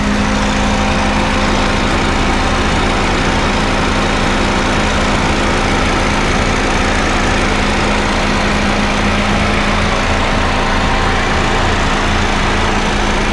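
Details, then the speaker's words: Honda Fit GD3 at a normal, smooth idle with the AC on and the fan whooshing: no knocks or ticks, the engine sound is normal and there is oil in it. "まあ、エンジン音は正常です。オイルも入ってます。まあ、クーラーかけてるのでファンも回ってます。"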